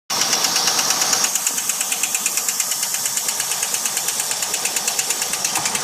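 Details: VX SS 2000 Commodore V8 running: sharp steady ticking about three a second from worn lifters and camshaft, engine knock fixed by replacing lifters and camshaft.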